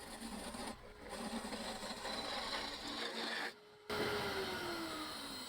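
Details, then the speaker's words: Gouge cutting a tiny live-edge ambrosia maple bowl on a lathe at about 1200 RPM; steady soft hiss as the tool shears the wood, with brief pauses, showing a correct cut; bevel pressed too hard or a dull tool changes the sound. "Hear the hissing? If you're not hearing that, you're cutting wrong. Something is wrong."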